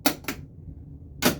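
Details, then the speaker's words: 1981 Stern Viper pinball machine after board install: sharp solenoid snaps repeating as coils keep firing in a ball search; may not recognize balls in the trough, or soundboard dragging machine down, suspected. "Is not happy. So, maybe it does not recognize the balls in the trough. So, that's all it is. That's not a bad thing. I better power it off before uh I blow some solenoids or fuses."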